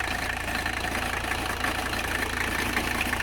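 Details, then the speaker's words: 1985 Mercedes 300CD diesel idling after a cold start at about 40°F; the fuel tank cleaning seems to have helped greatly. Steady, even, unhurried light clatter with no stumble or misfire; normal diesel idle. "let's see if she goes reliable she's a beaut isn't she cleaning the fuel tank really seems to have helped like"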